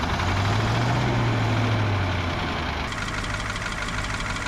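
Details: Caterpillar 3208 diesel water truck, hand-primed and started with ether. It idles unevenly with a lumpy, wavering drone. Fuel pressure is about 30 PSI versus roughly 60 expected. Rough running from low fuel pressure.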